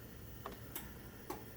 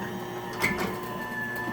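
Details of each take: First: Genie 1035 chain-drive opener on a 4x3'6" Midland door with its safety sensors knocked out of line, sensor light flashing: faint isolated clicks and no motor run; the opener just sits and clicks instead of running because of sensor misalignment. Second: Genie 1035 (model 1035-V E2) chain-drive garage door opener on a 4x3'6" Midland door in a basement: quiet even motor hum, light chain rattle, then a harsh abrupt stop as it doesn't slow down; otherwise normal operation.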